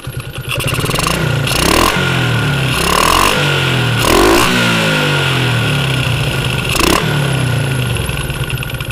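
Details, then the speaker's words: Yamaha Jupiter MX after jumpering the faulty, aged part (owner suspects it simply needs replacing due to age): engine blipped up and down revs cleanly, the whining, whistling, crying hum gone; reconnecting the wire brings it back. Normal revving with no whine. "Oke ini setelah tadi sudah saya jumper suaranya hilang Bro enggak ada bunyi ngiung-ngiung atau bunyi suling atau tangisan itu enggak ada atau dengung itu enggak"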